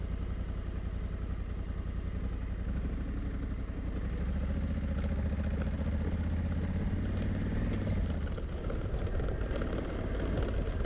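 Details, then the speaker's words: Motorbike ridden slowly on a very rough, rocky Flinders Ranges track: slow engine beat with an irregular light clatter following the bumps; the adjustable windscreen is rattling, unusual for this bike. "bike doesn't usually rattle on a rough road, but it really is rattling today. The adjustable windscreen is what you can hear."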